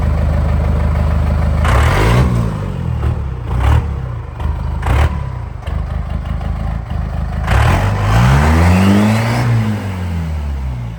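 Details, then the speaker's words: 1984 Chevy K5 Blazer CUCV with Cummins 4BT diesel, first start after compound turbo kit and full exhaust install: catches and revs up and down cleanly, even clatter, no knocks; runs healthy and much quieter. "So we just got back from the first test drive, and it's running pretty dang good."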